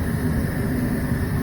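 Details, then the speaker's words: Goodman furnace after fixing short cycling caused by water in the inducer motor, likely from snow blowing down the exhaust pipe: steady, even low rumble without surging or cutting out, running smoothly for several minutes. "well that was it running smoothly now for the last few minutes or more short cycling so the likely cause was water in the new sir motor probably caused from a recent snowstorm"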